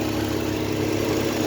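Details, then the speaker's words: 2022 Hyundai Grand i10 Nios petrol at idle, engine vibrating only with the AC on; a light, steady burring hum comes from the radiator fan motor, which is causing the vibration. "చూడండి ఈ fan motor ఉంది కదా ఓకేనా ఈ fan motor చూడండి light గా బర్రన sound వస్తాఉంది. ఇదే complaint"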